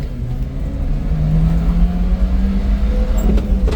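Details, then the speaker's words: Subaru Sambar crane mini truck accelerating through the gears, second into third and fourth, carrying the crane: low engine drone climbs smoothly under load with clean shifts, no stumble, no clutch slip or smoke; healthy engine pulling strongly. "Going into third. Great pickup on this truck. Going into fourth."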